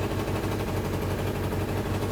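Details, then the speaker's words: Suzuki Katana recommissioned after 31 years standing, engine warming up at idle; rapid uneven popping chuff, sounds like running on three cylinders a bit, with visible exhaust leak that may seal as it warms: exhaust leak. "so we've got a bit of an exhaust leak you can actually see it a little piece of fluff that's wondering around that probably just wants to nip up and it sounds like it's on three a little bit to"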